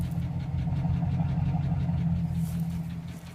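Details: 2007 GMC engine running with a low rumble and steady knock, roughly three per second; owner unsure whether rod bearing or valve.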